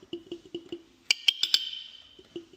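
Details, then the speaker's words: Motorcycle after ignition rewire following attempted hot-wiring: horn powered, diaphragm moving, but only faint uneven dry clicks and a short buzzy rattle, no full tone; horn seems stuck. "We have a somewhat of a horn, but it sounds like it's stuck."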